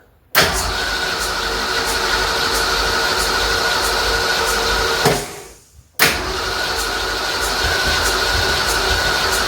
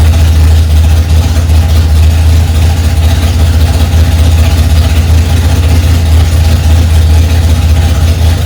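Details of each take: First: 1965 Ford Mustang, freshly rebuilt 289 V8 first start with fuel now arriving: starter cranks with an even rhythmic churn, stops, cranks again, never catching; owner says it needs more ignition timing advance. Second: 1965 Ford Mustang, freshly rebuilt 289 small-block V8 on its cold first start, mixture screws two turns out: loud, deep, steady rumble at a high idle with no knocks or misses; running fine.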